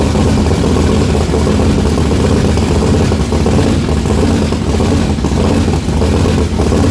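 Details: Methanol-converted blown, injected big-block V8 at first start-up: loud lumpy idle with a hole in the beat roughly every cycle, one cylinder apparently not firing, fuel spraying out the exhaust; cylinder misfire, cause unconfirmed, owner believes plugs fine.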